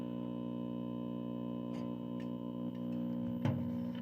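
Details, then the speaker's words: 1957 General Electric 14S208 b&w vacuum tube TV on a dim bulb, drawing about 120–150 W: steady low buzz at one pitch with a few sharp clicks; hum attributed to open filter capacitors, source not pinned down. "but that hum you here is uh open filters for [Music] sure"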